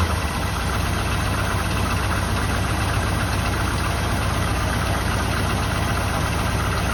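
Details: 1984 Jeep Wagoneer, just revived: heavy, loping idle with about four pulses a second; rough idle, cause unknown; owner thinks a worn belt on loose alternator belt and rough pulleys may be heard.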